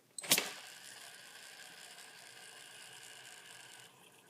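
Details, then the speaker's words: Skateboard wheel hand-spun on a timed spin test with loosened axle nut: sharp flick then steady airy hiss as the bearing's inner race moves around on the axle; a bearing spacer is meant to prevent this. "okay so you could hear that hissing sound and that's kind of actually the inside of the bearing moving around on the axle"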